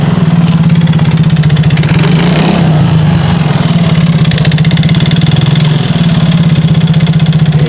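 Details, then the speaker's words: Yamaha Mio GT scooter, high-mileage engine, after spark plug replaced; plug was wet from incomplete combustion as worn piston rings let fuel mix with engine oil; lumpy, uneven low idle with pulsing beats, heavy smoke; worn piston rings. "basah akibat pembakaran yang kurang sempurna ini karena ringnya sudah termakan usia ring pistonnya jadi bahan bakar bercampur dengan oli mesin terjadilah seperti ini"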